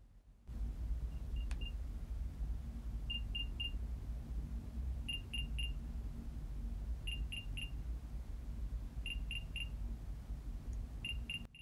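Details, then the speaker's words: Apple AirPods Play Sound locate function via iCloud Find: bursts of three quick high cricket-like chirps every two seconds over quiet room hum; normal locator sound, unlike the odd bird-like chirp problem. "여기 플레이 사운드 하면은 소리가 들리는데 요게 귀뚜라미 소리거든요"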